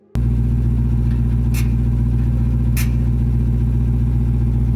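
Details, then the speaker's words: Dodge Demon 170, recorded with a tablet placed under the car: deep, steady engine rumble with sharp exhaust ticks about every 42 seconds, continuing a minute or two after shutoff. A second engineer determined the entire exhaust system needs replacing. "Like every 42 seconds, tick, tick, tick, tick, like nonstop."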